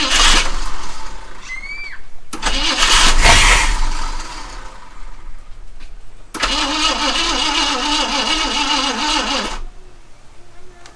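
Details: Mercury Comet V8 after sitting 31 years, fuel line not yet hooked up, carb cleaner sprayed in; starter cranks, engine catches in short rough bursts and dies; fires only on starting fluid, no fuel supply.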